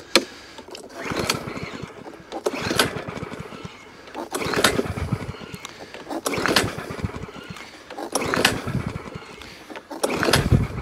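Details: Little push mower with only a dribble of fresh fuel, primed, on a hot day of about 40°; pull-cord bursts every two seconds, each a short rattling crank that dies without catching. Won't start; owner suspects the spark plug, not confirmed.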